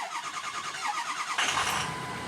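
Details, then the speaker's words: Ford 6.0 Powerstroke diesel that lost power and misfired: a quick rhythmic chugging crank with an uneven beat; cylinder 5 is dead at 150 psi against about 390 psi on cylinders 1 and 3; possibly an injector, cause unknown. "number five number five is dead could it be an injector i don't know"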